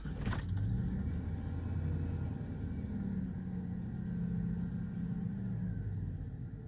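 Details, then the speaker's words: Truck after temporary clamp repair of the intake line: low, even idle rumble holding steady at 500 RPM without hunting or surging, also steady in gear. Normal idle. "look at that RPMs are holding steady at 500 like they're supposed to be"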